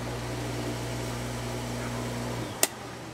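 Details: Pool pump motor after its capacitor was replaced, fixing a loud hum and breaker trips: a steady, even hum with a low mains drone, running smoothly, then winding down with a click.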